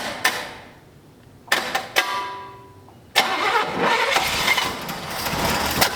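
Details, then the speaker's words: 1965 Buick LeSabre V8, sat 34 years: separate bursts of starter cranking catch briefly and die away; cranks but won't keep running, suspected out of gas. "I think it's out of gas"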